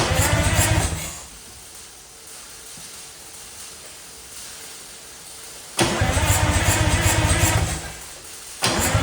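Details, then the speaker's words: Junkyard-rescued Detroit Diesel 6-71N two-stroke on relatively new starter: heavy diesel clatter with uneven popping about four per second; rough running, owner suspects a stuck valve. "watching this back now that popping noise is a lot more apparent in the video I didn't seem to notice that as much when I was actually turning it over but I might have a look and see if it's got a stuck valve or something it kind of sounds like something is a bit open or doesn't quite sound right"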